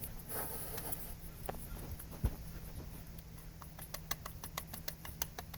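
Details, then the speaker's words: Dodge RAM/Jeep 3.6 V6 idler pulley spun by hand with serpentine belt off: dry, scratchy ticks from a worn, rough bearing; other pulleys and tensioner fine. "Hear it? Anyway, that's the IDLER pulley, so I got another one."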